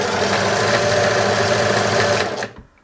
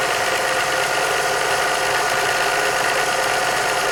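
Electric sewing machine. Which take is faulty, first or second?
first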